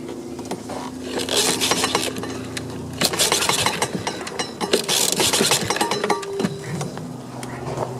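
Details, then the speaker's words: Husqvarna AWD riding mower with deck and carb clogged by thick mud, running rough: engine running with irregular scraping clatter and sharp knocks as the blades hit caked mud and debris under the deck. "you know i could hear it hitting something and the more i look at it um this stuff is so caked up with crap see all that stuff coming off the blades actually hitting all this"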